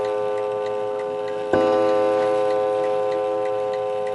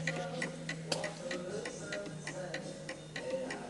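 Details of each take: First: Antique 1920 Napoleon hat mantle clock, strike set for 11 o'clock: clear bell strokes about every three seconds, each ringing out and fading evenly; the strike train is working properly. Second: 1920 antique Napoleon hat mantle clock placed tilted to the right on an uneven surface: roughly ninety beats a minute, unequal spacing, tick louder than tock; out of beat from tilt and will eventually stop.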